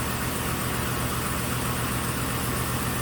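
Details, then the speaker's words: 2006 GM truck 5.3 V8 on first start after head gasket repair: quick puffing tick at idle, about four a second, from an exhaust flange reinstalled without a new gasket; a possible loose plug wire spark was also suspected. "I didn't have a new gasket for that exhaust flange."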